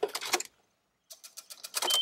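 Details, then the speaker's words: 2002 Nissan Xterra 3.3 after fuel pump and filter replacement: key cycled on, brief steady high buzz as the new pump primes, fuel gauge moves; engine then starts right up. Normal fuel pump priming. "I'll set the fuel pumps working and the gauge is working the gauge moves"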